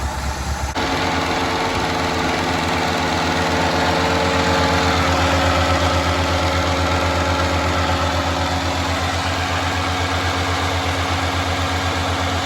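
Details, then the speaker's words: 1985 Ford Escort wagon, 1.6 L two-barrel carbureted inline-4, before warm-up: steady low idle pulsing slightly unevenly with a constant airy hiss; several vacuum leaks, idle picks up when one is covered by a finger; rough idle from vacuum leaks. "you can hear all of the vacuum leaves going on in there there's quite a couple like I can tap one just by reaching right here and it'll kind of pick up a little bit and I'm blood back down if I uh take my finger off but overall she runs"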